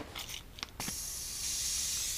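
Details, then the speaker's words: 1985–86 Suzuki LT250R engine under leak-down test, not running, exhaust port plated off and air pressurized: steady high airy hiss of escaping air; soapy water shows the clutch-side inner crank seal leaking, seals to be replaced. "you guys can hear so valve seal or not valve seals crank seals it sounds like it's really only coming then your grab our soapy water since I closed that off and kind of hear it coming from"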